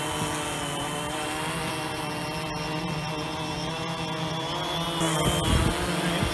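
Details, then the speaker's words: Phantom 2 quadcopter after replacing a burned-out ESC, test flight: steady layered propeller buzz holding position against howling gusty wind; motors running normally. "the wind is really howling now I did I can hear it fightin to stay where it is"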